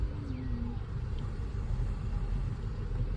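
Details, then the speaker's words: Chevrolet Cruze after replacing a leaking valve cover gasket that let oil into the coil wells, coils refitted, codes reset: even low rumble with no missed beats or shake; normal idle on all cylinders, misfire fixed. "The car runs fine. Engine no longer shakes. So, let's go check it out. The engine runs fine now. No longer makes that same back and forth."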